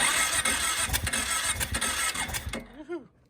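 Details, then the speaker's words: Kawasaki KFX 700 V-twin ATV after rear-cylinder valves snugged up then barely backed off by feel, front cylinder not yet done: uneven cranking chuffs, about three a second, try to catch then die; turning over, not firing properly. "So I snugged them all the way up and I just barely back them off, and we're getting a little bit of progress. I still need to do the other cylinder, but she's trying now."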